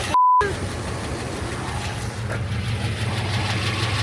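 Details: International Travelall big petrol V8 after repairs fixed black smoke, power loss and blow-by, on a road trip: steady even low idle rumble, healthy, with a slight untraced vacuum leak audible at the rear.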